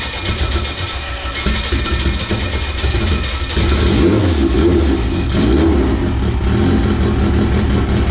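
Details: AWD EG hatch project car on M&W Pro Drag 4 ignition, ECU ground fixed the day before, start before its first drive: engine catches, settles to a steady idle, then clean revs climbing and dropping back, smooth and even; running healthy.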